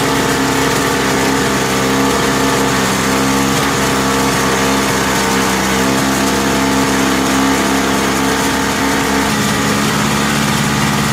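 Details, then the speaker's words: Lawn-Boy Insight single-stage two-stroke snow blower, after service and a new spark plug, to cure RPM surging: even, steady drone with a constant pitch and no hunting or surging; the engine now runs stable. "well i guess i feel pretty satisfied with that it seems to start to run pretty stable"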